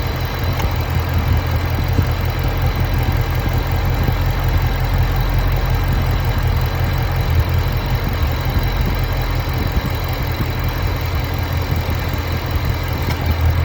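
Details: Ford Mustang GT350 V8 at idle, deep steady rumble with a faint irregular ticking on top; unidentified idle noise, source undetermined.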